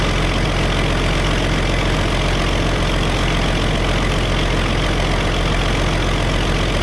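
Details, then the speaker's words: Early Case 930 diesel tractor, believed 1960, first start in 14 years: steady, even idle with a deep, regular chug of about three to four beats a second and no knocks or misses, though an occasional miss follows and there is no blow-by. Normal idle. "That's idle speed right there. We're not missing on a cylinder. I think this thing's gonna be okay."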